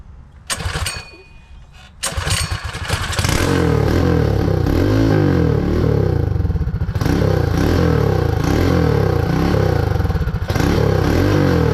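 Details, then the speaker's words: Predator 224 Max Performance Hemi on a Mega Moto minibike, first start since the build with no clutch or chain fitted. It runs rough with pops and backfiring, smoke, and fuel leaking from the carburetor hose; a stuck float or needle is suspected. "let's give it a little bit of gas almost try it again there's a little smoke coming out here backfiring"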